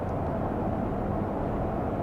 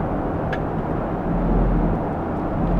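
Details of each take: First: 2008 Ford Expedition with unmaintained transmission, dark fluid, light torque converter shudder, after adding a shudder-fix additive; steady road and drivetrain rumble at the speed shudder usually occurs, no pulsing or judder: no torque converter shudder. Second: Ford F-150/Expedition with an unmaintained transmission and dark fluid, cruising before Shudder Fixx treatment: low road rumble with a slow, uneven, light torque converter shudder caught early. Not a misfire.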